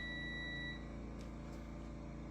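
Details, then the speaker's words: VW Beetle static timing with a lead on the coil negative: a thin steady beep holds for under a second, then cuts out as the distributor is turned anticlockwise, marking the static timing point. "So, I've got the negative lead off the coil that goes into there. You hear noise. Turn that anticlockwise until the noise"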